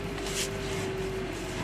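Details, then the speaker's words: Hyundai Veloster after replacing the steering flexible coupling: steady low hum with faint constant tone as the wheel turns, no clunks or knocks; steering knock fixed. "and we have success no more steering knocking noise"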